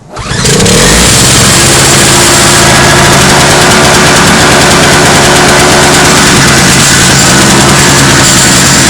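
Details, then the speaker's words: Toro CCR 2450 two-stroke snowblower after repair, on 40:1 mix with stabilizer, sat two hours with muffler dead cold, started without choke; catches within a second, then steady, even high-pitched buzz, clean healthy cold start. "all right so it's been about two hours now it's been sitting for a while Muffler is dead cold I start it up now oh I'm not even going to choke it"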